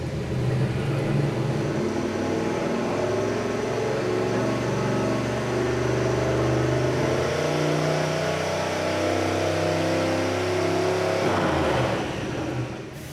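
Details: Turbocharged Maserati 2.0 project on E85 during its first dyno pull: the engine holds one steady high-rev note under load for about twelve seconds and never drops for a shift, so the automatic is stuck in gear.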